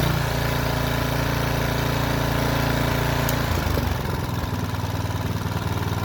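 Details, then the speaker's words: New DR Trimmer Premier: small engine drones, then the note sags and roughens as the string head loses drive; belt tension slack, corrected via counter-clockwise turns on the adjuster. "at first you could hear the string spinning but you wouldn't hear the power behind the strings"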